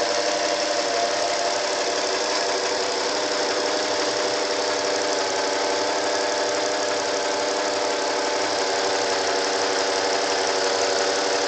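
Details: 1988 Acura Legend engine making an unexplained noise: a rough, uneven rattling clatter over a busy hiss, with no clear steady beat; an abnormal noise of unclear cause.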